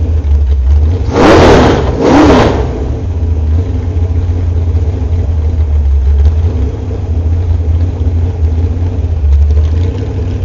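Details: Small block Chevy 355 with .480-lift camshaft after hydraulic valve adjustment, warmed up, running on open headers outdoors in winter: deep steady lope, a brief rev blip, then an even lumpy idle; running healthy.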